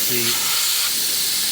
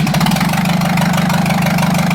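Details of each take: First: Jeep Cherokee XJ 2.5 turbodiesel, GT2052 turbo rebuilt after a collapsed oil drain hose blew its seals; intake pressure test at standstill: a sharp, steady high hiss of escaping air, a boost leak at an intake coupler. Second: Jeep Cherokee XJ 2.5 turbodiesel with a rebuilt GT2052 turbo just installed, run to check for leaks before reassembly: steady diesel idle clatter with an even beat and no puffing or ticking. No leaks found. The previous turbo's seals failed after its oil drain hose collapsed.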